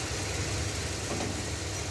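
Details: 1971 Chevy Suburban with a junkyard big-block Chevy V8 idling after the power steering and brake booster were bled. Steady low idle with an even beat and no chatter when steering or braking. It hesitates to take throttle; bad gas suspected.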